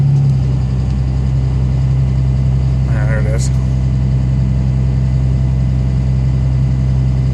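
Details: 2005 Dodge Ram 3500 5.9 Cummins common rail, built transmission, 4-inch straight-through exhaust no cat, under load uphill: steady low drone with light uneven rattle; injector noise, later solved with BD injectors.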